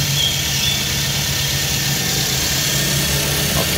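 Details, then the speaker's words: Daihatsu Luxio/Gran Max, after fixing overheating where air was in the cooling system; engine still cold, started minutes earlier: smooth, even idle under steady fan rush. The earlier hissing is gone and it runs normally. "Masih dingin, suhunya belum normal karena baru dinyalakan beberapa menit; Mesinnya berjalan halus dan tidak lagi mengeluarkan suara mendesis ."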